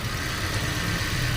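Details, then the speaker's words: Toyota Rush after fixing a dead cylinder #2 misfire (coil and spark plug already replaced; ECU and wiring checked), ECU reconnected: steady, even low idle hum with no stumbling or shake; idle now very stable. "Ayan okay na. Dito na sa loob malamang may check engine ito kasi binunot na natin yun. Tapos yung menor niya napaka-stable."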